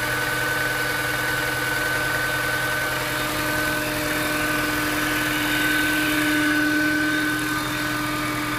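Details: Mini Cooper S with engine warning light on: steady engine hum with a thin high whine on top and a quick even pulse; abnormal engine noise, cause not yet clear.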